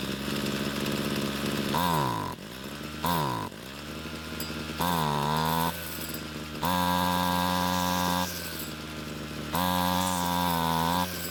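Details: Homelite string trimmer two-stroke that wouldn't start; after stalling when warm from lean low-speed fuel, L screw turned out about a quarter turn, idle lowered, H screw adjusted; idles steadily, revs up cleanly in repeated bursts and drops back without stalling, running normally.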